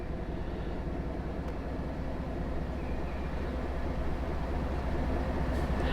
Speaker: Everything seems fine, it's running smooth, it's not vibrating, it's not spitting or skipping, it's running great.